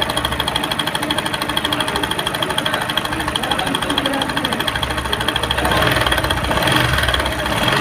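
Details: Bajaj Discover on self-start, with timing chain, tensioner pad and related parts all newly replaced and oil leaking: fast, uneven metallic ticking about three a second, loud over the idle; top-end rattle at idle, cause unclear.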